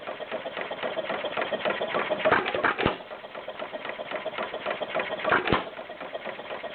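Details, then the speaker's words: Stover CT-2 hit-and-miss engine, 2–2.5 hp, slightly warm from running a couple hours earlier, fuel line primed: slow irregular popping firing beats with coasting gaps, taking two intake gulps before firing; starts easily and runs fine. "simple as that starts pretty easy see it's taking two uh in intake gulps before it fires"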